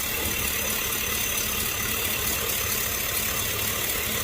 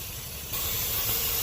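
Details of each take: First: 2005 Chevy Tahoe after fixing a vacuum leak; it had been shaking when driving, with a flashing check engine light. Now the petrol engine idles steadily with an even, smooth hum, no hiss or shaking; normal idle. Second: 2005 Chevy Tahoe idling: steady airy hiss over low rumble from a torn vacuum hose; check engine light flashing on highway and shaking when driving; fixed by replacing the hose.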